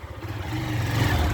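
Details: Motorcycle after repair of compression loss on pulling away: the engine note builds smoothly as it pulls away, a steady low thrum with no popping or misfire, now much better.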